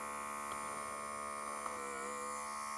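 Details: Second Microlife BP3AQ1 monitor, same model, after repair: steady, even high-pitched compressor buzz with no stumbles or rattles, pumping slightly faster than the first unit; cuff pump running smoothly.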